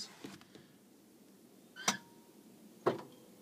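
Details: CUCV military truck with fried glow plug controller card, key on, manual glow plug button pressed; two crisp clicks about a second apart in a quiet cab as the glow plug solenoid pulls in as it should.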